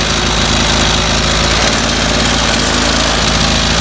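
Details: 25cc two-stroke string trimmer that stalled after about 5 minutes and has no fuel filter: high, even buzz at full throttle while the high-speed carburetor screw is adjusted; the mixture sounds right.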